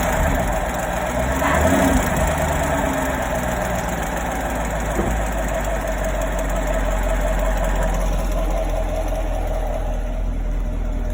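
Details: 2017 Chevrolet Camaro 6.2L V8, stock, about 20,000 km: light rapid ticking, about four per second, over a steady idle, only when fully warm. It comes from the rear driver's side and is clearly heard from below near the oil filter/pump; cause unknown.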